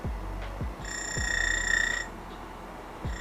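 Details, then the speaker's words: DF64V V2 coffee grinder with SSP High Uniformity burrs, zeroed at 1800 rpm; thin, steady high whine over motor hum, then fades as lower burr settles onto the motor, not actual burr chirping; normal high-pitched grinder whine. "Yeah, so that's just the lower burst settling down onto the motor. Slightly high pitch. Sometimes it sounds like your burrs are shimming somewhere, but it's not really an actual shim."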